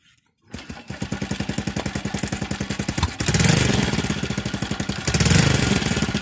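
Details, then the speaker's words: Older Honda Wave 110i fuel-injected motorcycle that started hard and died when revved, after cleaning the blackened spark plug and confirming strong spark: fires on the first try, even single-cylinder idle, two clean throttle blips returning smoothly; normal start and idle. "เจนได้ว่าสตาร์ททีเดียวติดเดินเบาได้บิดติดมือดีครับ"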